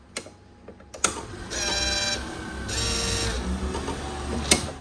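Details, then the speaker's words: 2004 Yamaha V-Max at ignition key-on: a couple of clicks then a short whirring run as the V-Boost servo motor moves and stops. Normal servo motor cycling. "can you hear that noise i do it again that's a little motor on the v boost moving when i turn the ignition on"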